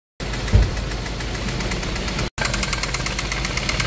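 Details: 2017 Hyundai Kona 1.6 T-GDI petrol engine idling with a heavy, rapid diesel-like clatter over the running note; cause not evident; loud engine clatter.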